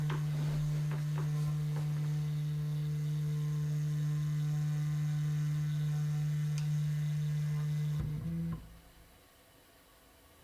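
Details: Prusa MK3S FDM 3D printer running auto home from the calibration menu during routine maintenance: a steady low motor hum for about eight seconds that cuts off cleanly as the axes reach their stops. Normal homing.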